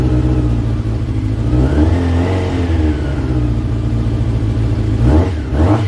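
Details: Brother's motorbike, battery charged a couple of hours on a mains charger, started on the key after transport: catches and runs with a steady even beat, two clean throttle blips rising and falling smoothly; started and ran beautifully, normal.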